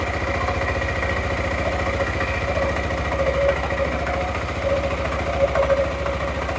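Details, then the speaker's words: Suzuki Burgman 400 (2007-2017) after belt replacement and CVT maintenance: steady single-cylinder idle with occasional light metallic tings as clutch shoes touch the bell housing; normal, quieter CVT operation. "Cool. It's doing exactly what it should be doing. That tinging is very normal because what's happening is when the clutch makes contact with the bell house, it gives a big ting."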